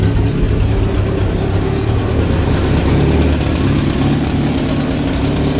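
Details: 1963 Hillman Super Minx idling after fuel pump repair, conversion to negative earth and a fixed leak; it is charging and the warning light is off. Steady, even idle with a smooth low beat and no knocks, misses or squeals.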